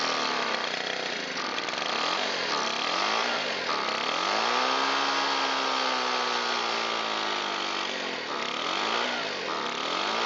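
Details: Shindaiwa EB254 Hybrid4 four-stroke handheld blower, sat a long time, old fuel filter, throttle locked; buzzy engine hunts, pitch sagging and climbing instead of holding top speed; stiff carburetor diaphragm and pump parts suspected, not confirmed.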